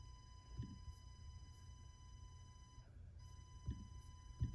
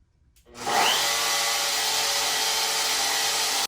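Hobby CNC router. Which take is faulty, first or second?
first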